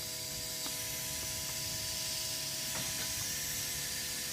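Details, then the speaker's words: 1990 Volvo 760 turbo under a boost leak test, with compressed air fed through a PVC cap in the turbo-to-intercooler piping: steady, sharp hiss with light clicks as air escapes at the loose idle air control valve. "as you can hear that hissing sound I've got a boost weak and I think I think that's where part of its coming from at least coming from the idle air control valve"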